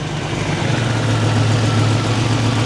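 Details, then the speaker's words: Buick Grand National idling above target after idle set-screw adjustment, exhaust leak audible; idle creeps up in pitch and settles fast, too high, owner backing off set screw to hold about 750 RPM. "don't don't play games see now it's idled too high so now we got to back off this set screw just a here we got to try to keep it around 750"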